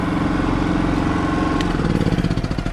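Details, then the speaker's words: Kipor IG3000/IG3500 inverter generator after replacing its inverter board with a Champion board: steady, even drone, throttles up smoothly and settles back down with no knocks or surging; running normally, now producing output. "if you have a listen he throttles up really smooth it fells down no problem and most importantly it now has an output"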